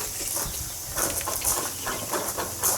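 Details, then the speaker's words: 2007 Suzuki LT-A450X front differential bearing, spun by hand during teardown of a diff run with no oil. It gives a rough, gritty, hissing grind with uneven scraping bursts; the bearing was thought to have sat in water. "that sounds lovely bearing doesn't it well as in grinding you think even the bearing on the other side sounds better than that"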